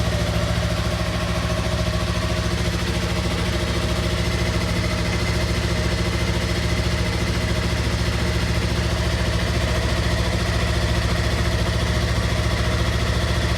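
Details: 2016 Yamaha R3 idling after oil and filter change with 2.5 quarts of fresh oil: even, steady idle with a smooth low thrum and no knocks, ticks or rattles; runs cleanly and evenly.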